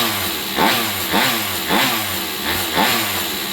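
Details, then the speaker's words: Rovan 45cc two-stroke RC engine after reassembly following an out-of-balance clutch, spark plug refitted: blips up and falls back about once a second, crisp and even, no misfire or rattle; sounds normal again, though owner thinks the engine may need replacing. "There you go. Now it sounds the same. Now it sounds the way it normally would sound."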